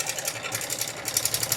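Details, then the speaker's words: Yamaha R15M engine at idle, sudden "kat kat" noise while riding; fast light metallic clatter from a slack timing chain because the tensioner has failed. Adjusting the tensioner removes the sound, which returns on release; rocker arm normal. "चलते-चलते अचानक ये sound आया है। Engine से एक अजीब sound आ रहा है cut cut का।"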